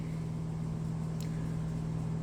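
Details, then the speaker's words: Amana top-load washer after drain pump replacement, tested before full reassembly: steady low electric hum, even drone, no grinding or rattling; drain pump running normally and draining. "oh and i can hear that pump actually trying to trying to run right now"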